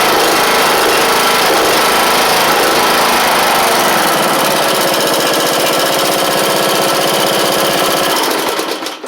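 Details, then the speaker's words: John Deere E100 mower, 2018 Briggs & Stratton single after oil pump seal reseat and sump O-ring swap, no longer leaking: runs steady, even fast clatter, no misses or knocks, then shuts down; normal. "I tell you what though, these especially these Brig singles built around like 2016. This one's a 2018 model. These things sound they just sound so cheap, which is terrible."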